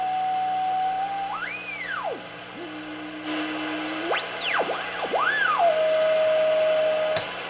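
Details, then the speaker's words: 1960s National NC-270 tube ham shortwave receiver after its switch was repaired, tuned to 40 meters near 7.1 MHz in sideband mode: whistles sweep in pitch while tuning, then settle into a clean steady tone, so the crystal calibrator marker is working. "It's working. So it's looking good for the little National receiver."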